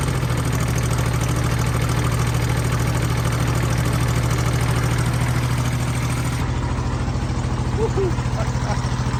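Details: Mid-1980s Kubota B7200 3-cylinder diesel just started at about 15°F after an ice storm, with no fuel additive: loud rhythmic knocking clatter of about three beats a second over a heavy idle. Typical cold diesel clatter.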